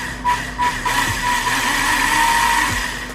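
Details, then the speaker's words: Polar Lights TikTok RC car motor running before maintenance: steady whine over gritty gear rasp; gears sound dirty, owner suspects, planning alcohol cleaning and greasing. "it just sounds dirty to me so I'm just going to go ahead and um get some alcohol and clean these gears off pretty good"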